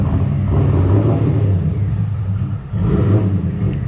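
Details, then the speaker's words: LS V8-swapped Infiniti G35 with a cam, first start after disconnecting the fuel line and working on the fuel pump: a deep, lumpy V8 rumble that sags and nearly dies before catching again. The owner suspects it is not getting the right amount of fuel. Stalling after start. "Yes, the car is starting, but it wants to die every single time, and that's probably because it's not getting the right amount of fuel at the current moment."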